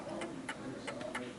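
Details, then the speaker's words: Smiths Enfield 8-day oak mantel clock, ca. 1930: sharp ticks with lopsided spacing and loudness, out of beat from sitting on an uneven surface, so it will eventually stop; fixed by adjusting at the back. "And you can hear it's ticking one side more than the other. It's like ticking more than talking, which means it will eventually come to a stop."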